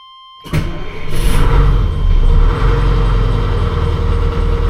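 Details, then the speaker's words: 1995 Suburban with a 2-stroke diesel swap, first start of the day from cold: it cranks and fires quickly into a deep, steady idle with no knocks or stumbles; a normal cold start. "all right fellas first start of the day see how she"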